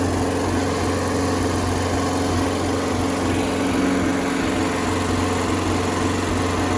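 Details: Circa-1986 Starcraft boat engine, stored about six months, running on water hookup after a strong spark check; smooth, even idle with a steady low rumble and no misses or stumbles while warming up. Owner reports a miss once at operating temperature, not yet shown.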